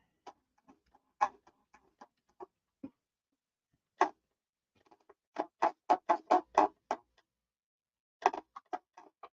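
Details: RC airplane: short, dry squeaks in uneven bursts as the flap and elevator are worked, from rubbing at the hinge, with no motor running; the noise is blamed on the paint, and the fix is sanding it away with fine grit.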